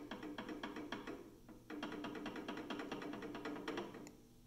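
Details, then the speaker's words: PM-728V-T mill spindle running at speed: quick, light ticking rattle over a soft whine, from normal clearance between spindle splines and drive pulley splines. "you can hear that a little bit of what I'll say a rattling noise that's the clearance between the splines on the the spindle and the splines on the pulley that drives it right"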